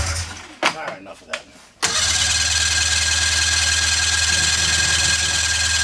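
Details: 1997 Polaris Indy Classic snowmobile, barn find with new hoses and new gas: starter spins engine at steady whirr about four pulses a second, never catches; no fuel getting through.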